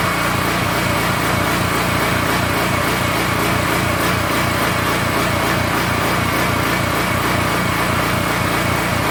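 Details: King Canada 3000W portable generator engine, bought after a loud pop killed its power output, run with no air filter fitted: choppy, uneven beat that surges instead of holding steady speed, a hunting idle.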